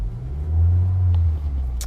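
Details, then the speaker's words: 2015 Honda Accord 2.4L GDI, started after a one-hour heat soak following CRC GDI intake valve cleaning: deep, heavy idle rumble swelling and sagging unevenly, a rough misfire with check engine light flashing and no codes stored. "Now, I don't know if you guys noticed during the video, but the engine was running really rough, as it will."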